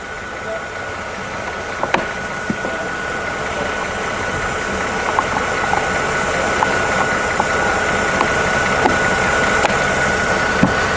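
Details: Mercedes E350 after replacing the defective alternator with a remanufactured unit (battery light had stayed on): steady, even idle with a faint constant whine, no knocks or misses, charging about 13.9–14.0 V; fixed and running smoothly.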